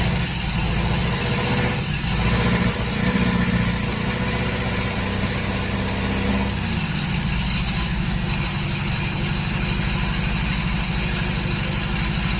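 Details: 1939 Hillman after fitting an AC fuel pump with weak stroke when cranked: loud uneven idle with lumpy, stumbling beat, runs rough; owner suspects ignition timing is out, cause unconfirmed.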